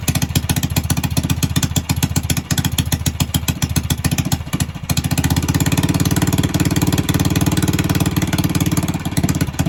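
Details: Ported and polished Predator 301 engine on a Coleman, first start-up, owner suspects idle set too high: quick steady single-cylinder popping beat lifting slightly midway, starts first pull; normal running.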